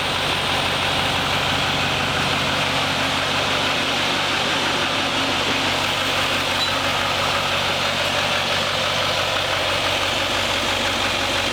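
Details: 2021 Duramax Silverado 2500 diesel just started after installing a new radiator to replace a faulty one and refilling about 5 gallons of coolant. Steady, even idle with a smooth low rumble and fan hiss, no knocks or misses, and no leaks seen.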